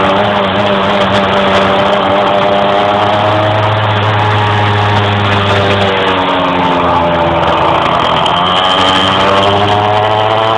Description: bruis moteur qui a du mal a monter dans les tours en roulant.